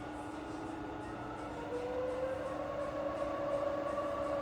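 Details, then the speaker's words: Fully rebuilt Bridgeport milling machine, head shifted to low range (back gear), spindle at around 50 RPM: steady quiet hum with even tones, no knocking or grinding; normal spindle running in low range. "Okay, fire it up. Now we're running around 50 RPM, and it's just as quiet in"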